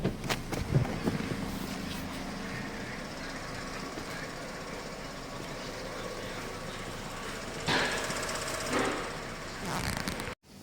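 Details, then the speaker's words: Chevrolet Cobalt petrol engine idling roughly, revs fluctuating then dropping, with fast light ticking from the evap canister purge valve; throttle body also found dirty, valve to be replaced. "Chevrolet, стучит клапан продувки адсорбера . Короче говоря, обороты двигателя работают неправильно . Оно колеблется, затем замирает. Прямо сейчас мы слышим щелчки."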